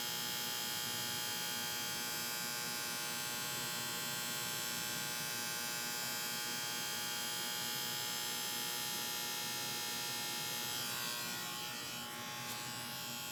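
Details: AC condenser unit with a bad start capacitor: steady, harsh electrical buzz with no motor spin-up, the compressor humming but failing to start.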